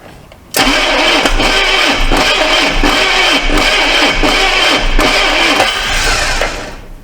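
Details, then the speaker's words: Neglected 1982 Chevy Silverado C10 on a replacement battery: starter churns steadily with even compression pulses about every 0.7 seconds but the engine never catches; suspected stuck carburetor needle and no fuel reaching the carb, starter possibly failing. "So let's see what it turn over any faster. Sounds like it's trying to crank."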